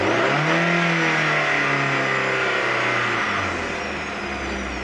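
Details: 1998 Honda Prelude with oil pressure light flickering at idle, oil level fine and freshly changed: hard whine over the engine rising and falling with revs; not power steering, pulleys or timing belt; owner suspects oil pump.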